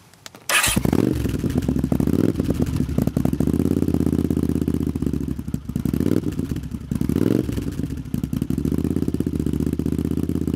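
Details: Honda CX500 cafe racer twin, finished project: cranks once and catches, settles into an even twin burble with a few rev swells; runs sweetly, idle speed needs adjusting; radiator leaking coolant.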